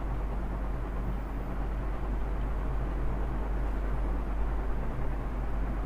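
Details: Ceiling fan running after being opened, its bearing cleaned with WD-40 and refitted to fix a noisy bearing: steady, even low hum with no ticking, squeal or grinding; normal running.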